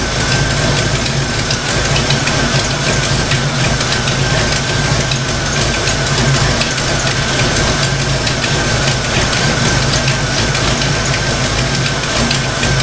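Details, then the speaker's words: Fox-body Mustang V8 idling while warming up after a thermostat install: loud lumpy idle with busy ticking clatter from the valvetrain; owner suspects stock rockers, after earlier oil pressure loss and metal shavings. "Yeah, you know, it almost sounds like that, the clacking noise coming from the valve range. I bet you this thing's got stock rockers on it."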